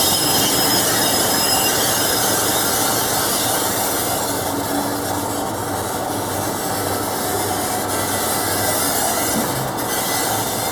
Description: The opposite of locomotive thrash ? Class 47 , 47077 , applying the brakes , with loth of brake and bogie squeal , just outside of Levisham station on the North Yorkshire Moors Railway ..